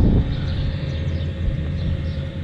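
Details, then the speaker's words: Cheap Chinese 12V 5kW diesel air heater newly installed in a Vauxhall Vivaro camper, warming up on setting 3: steady low droning roar with slight combustion flutter and no knocks; normal but louder than expected. "noisier than i expected i have to say but i imagine that'll hopefully quiet down a bit as it wears in"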